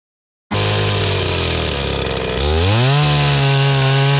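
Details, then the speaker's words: Restored old Stihl 026 two-stroke chainsaw after carburetor cleaning, with a pretty dull chain: steady buzzing idle climbs smoothly to a higher even pitch under throttle; runs strong and clean, works awesome. "Chainsaw works awesome. Chain is dull. Pretty dull. Considering how dull the chain is, I've had chainsaws that just cannot even run with a dull chain."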